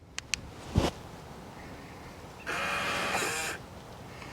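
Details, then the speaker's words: RV door keypad lock on old, almost dead batteries with beeps muted (button 1 held): fob lock/unlock gives faint clicks and about a second of soft motor whir, no warning beeps; lock still operates. "no beeps but you did hear the weep to lock unlock again no beeps but you could actually hear it unlock"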